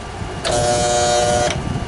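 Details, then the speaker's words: Bandsaw jammed and broken, its drive straining with a steady buzzing hum for about a second as the motor can't turn; it was smoking afterwards. Its tires had earlier been found cracked. "Well, I ain't gonna be able to use this bandsaw again. Something broken here."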